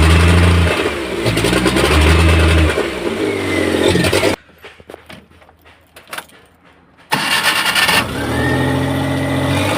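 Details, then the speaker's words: Maruti Omni after fixing a spark plug cable problem: starts on first crank, revs up and settles into an even beat with no misses; normal running. "देख सकते गाड़ी start हो चुका है एक self में गाड़ी start है"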